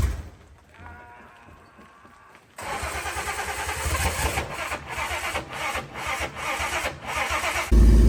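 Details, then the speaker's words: EFI turbocharged 170 Slant Six on a cheap T3/T4 hybrid turbo: catches after a quiet crank, then runs loud and lumpy with uneven surges and dips; timing control disabled just to start it, worse when timing backed off; rough running. "it's not happy I had to disable the timing to get it to start at all so obviously I need to figure that out but that is a running EFI turbo 170 slam 6"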